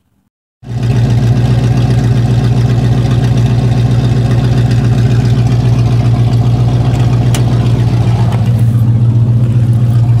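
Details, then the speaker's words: Carbureted Chevy C30 V8, parked at high idle: even, steady fast idle with no misses; runs fine parked, though it bogs and backfires under load, owner suspects secondaries. "kind of sounds okay it's still at high idle there it goes"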